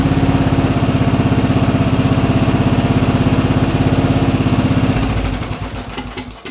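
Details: Briggs & Stratton Intek single-cylinder riding mower engine (Craftsman LT1000-type, 14–18 HP) after carburetor replacement, on choke: smooth, regular putter at steady speed for five seconds, then shut down; sounds much better, runs clean and even.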